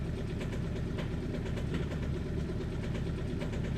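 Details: Audi A3 diesel at cold-start idle: a deep, uneven clatter with irregular sharp knocks, a rough misfiring idle; bad injectors or bad fuel suspected, not confirmed.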